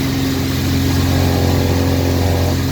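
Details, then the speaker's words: Boat after repair, steering turned hard right: steady low hum with a faint higher drone; new steering noise appearing, cause unknown. "This sound happens. I think you already knew this one. Hard right turn."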